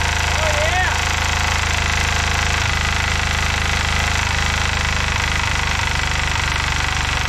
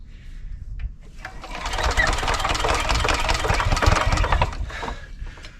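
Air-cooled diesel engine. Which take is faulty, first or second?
second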